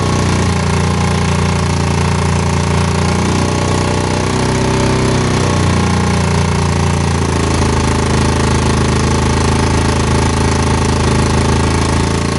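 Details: Single-cylinder motorcycle in neutral after kick-start, testing charging: loud buzzy note climbing and settling as throttle is blipped, charging rises with revs and stabilises near 12 V; runs cleanly.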